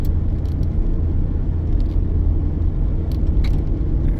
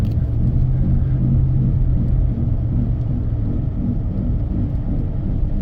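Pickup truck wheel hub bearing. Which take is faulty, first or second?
second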